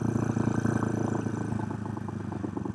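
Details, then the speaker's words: Restored 1970 Honda CB450 twin, 5-speed, on a neighborhood test ride: even quick exhaust pulse with steady rhythm, no misses or knocks; running normally. "But as you guys can tell, it's running pretty good. Sounds good."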